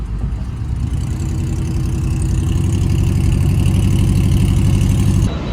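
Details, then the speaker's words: Cheap V8 muscle car crawling at 15 mph in traffic on a road trip: deep rumble with a rough, uneven puffing pulse from an exhaust leak, later found split in two places; temperature and oil pressure still good. "You can really hear that exhaust leak now."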